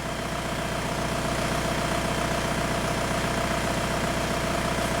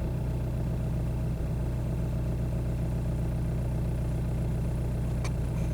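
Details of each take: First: 2002 VW Beetle 1.9 L TDI ALH, with a shudder when slowing down, after injector quantity adaptation in VCDS: even diesel clatter at a steady idle, regular firing pulses with no shudder or misses; idling smoothly. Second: 2002 VW Beetle 1.9 TDI ALH with slow-down shudder complaint, idling in bay: uneven, lumpy diesel beat with occasional stumbles and shaking under steady clatter; common slowdown shudder.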